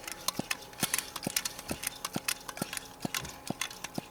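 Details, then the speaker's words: Coleman white gas camp stove being pumped to pressurize a not-quite-full tank, about 20–30 strokes. Crisp little pops, about two per second, one with each pump stroke. This shows the charging check valve is working normally. "Just get pumping. You can hear that little popping sound. That means the valve for charging the stove is working."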